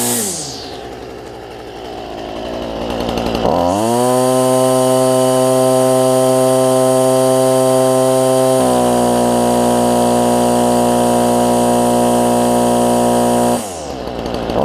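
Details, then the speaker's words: Stihl FS45 two-stroke trimmer after a replacement carb, fuel lines and filter, started in under 40-degree weather: catches quickly and settles to a clean, steady buzz at an even higher speed. Runs healthy. "let me crank it up for y'all and let y'all hear it run one more time"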